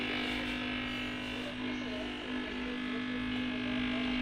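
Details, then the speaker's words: TV audio fault: steady low electrical hum with faint crackle under it, changing when the connector pin is wiggled; a loose connector pin at the input is suspected, video is also affected, and the planned fix is replacing the pin. "देखिए, मैं pin हिला रहा हूँ तो आवाज़ आ रही है। मतलब मुझे इसमें कुछ लूज कनेक्शन का प्रॉब्लम लग रहा है।"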